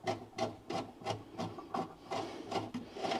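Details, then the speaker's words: Porsche 911 Carrera rust repair, chasing a likely M10x1.5 thread with lube: gritty crunching strokes about three per second as the chaser cuts paint, rust and debris from the threads. "and i'm basically just getting all of the paint and rust and debris that may have settled into threads"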